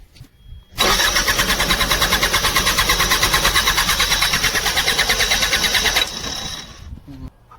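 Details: Bobcat crank no-start: starter cranks steadily at about three beats a second for five seconds and never catches; fuel pump not running, motor itself works, fuse likely blown from heavy load, replaced fuse fixed it.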